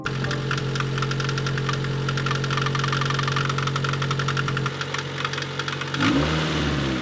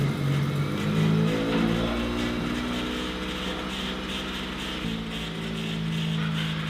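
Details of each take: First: 1996 Honda Civic EK EX, about 190,000 on the clock: heavy intermittent knocking at idle that fades as rpm rises; persists with accessory belts off, water pump fine, cause unknown, valve lash suggested; head being pulled. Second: 1996 Honda Civic EK coupe after fixing a ground on the valve cover and mixed-up distributor cap wires: engine catches and revs cleanly with smooth, quiet running and no misses; headers slightly smoky; normal running.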